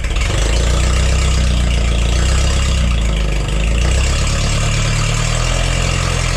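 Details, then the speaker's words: Forklift engine after replacing the bad spark plug: low, steady drone with an even beat, no skips or popping, smooth on all cylinders; misfire fixed. "The miss is fixed. There's a bad plug. All right. Well, that's exciting. Seems to run great now."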